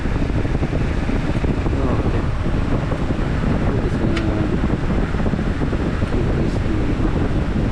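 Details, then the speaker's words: 2009 Chevy Equinox with check-engine light, key out of ignition: constant even rushing of radiator cooling fan that keeps running; suspected faulty engine coolant temperature (ECT) sensor, replaced with OEM part. "Oh, look at that, fan is turning on. I don't know why. Look at, key is not in the ignition switch. but you can hear the fan is turning on."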